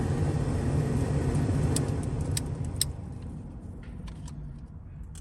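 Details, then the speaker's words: 1980s GM G-body HVAC after reconnecting a disconnected cigarette-lighter harness cable: even airy rush on high, then a quieter steady hum on low speed; fan settings all working, normal blower operation. "And we also have each fan setting. Got each fan setting now. Now that's real low. That don't really do nothing."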